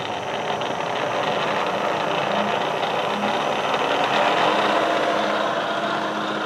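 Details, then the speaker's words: Bridgeport milling machine head, rebuilt with new bearings but bent spindle arbor, running in high gear; steady loud whirring hum with faint recurring tone, changing as the quill moves and with which drive teeth engage; spindle noise in high gear. "now the noise will change as I move the spindle up and down when I move the quill sorry now now the noise you hear will change based on which te we engage"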